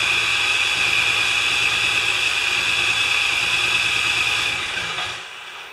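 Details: Craftsman 24-inch 9HP snowblower that won't run, primed and choked with good gas, cranked on AC electric starter: starter whines, spins engine evenly about three pulses a second but never catches.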